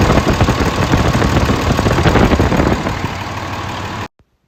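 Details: 2003 Dodge 3500 dually 5.9 Cummins after short-block replacement (old one reportedly run out of oil): steady clattery idle, no odd knocks, then clean shutoff; healthy after the rebuild.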